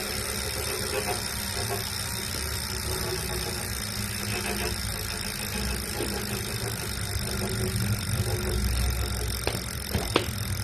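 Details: New Wahoo Kickr V5 smart trainer (replacement for a Kickr Core that clanked) makes a steady, coarse grinding noise throughout its spin, with a low rumble underneath.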